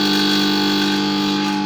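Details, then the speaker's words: Gas compressor with motor inside an SMD soldering station body, running before repair with one part found completely loose: loud constant buzzing drone; pressure fine but noise excessive. "ये इसमें काफ़ी शोर है। मेरी आवाज़ भी आपको सही तरह से समझ नहीं आ रही होगी, काफ़ी इसमें शोर है।"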